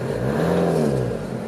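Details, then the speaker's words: 1992 Toyota Hiace LH107 diesel 4WD with low mileage, given a couple of revs before shutdown: clean rise and fall, smooth even note, no knocks or rattles; healthy engine. "Sounds good. Healthy engine. As expected, it's such a low mileage."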